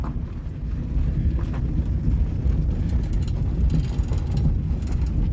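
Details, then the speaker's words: 1998 Suzuki Baleno on a test drive after a seal was fitted where the corner rattle came from; steady low road rumble in the cabin, no more squeaks, knocks or anything. "всё , больше никакого скрипа, никакого стука, ничего."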